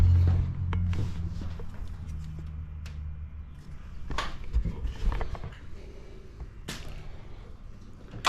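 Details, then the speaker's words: Road Runner 440 V8 after sitting for years: catches and stumbles with ragged uneven firing and bursts instead of a steady beat; owner suspects a crossed plug wire; rough running on starting. "It's almost act like I got a plug wire crossed."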